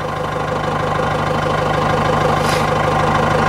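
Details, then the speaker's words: 4BT Cummins diesel just primed, starting issues: idling with uneven beat, roughly three pulses a second with occasional stumbles; a miss at idle, owner recalls air in the system last time, cause unconfirmed. "last time I started like that was when I had air in the system so but now you hear it it's you'll know what it misses"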